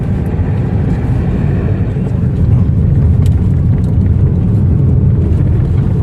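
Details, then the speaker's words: Toyota Corolla after a steering rack repair with bushes replaced and the rack plunger adjusted, driven over rough concrete edges on both the left and right sides: only steady tyre and road rumble with no knocks. The rack noise is fixed. "Left സൈഡിൽ കാര്യമായിട്ട് സൗണ്ടൊന്നുമില്ല. അതുപോലെ right സൈഡിലും concrete റോഡിൽ ഇറക്കി കഴിഞ്ഞാൽ തന്നെ ഓക്കെയാണ്. ഇപ്പോൾ സൗണ്ടൊക്കെ ഓക്കെ."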